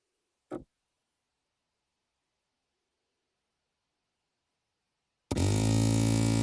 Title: Astra H Cd 30mp3 strange noise from loudspeakers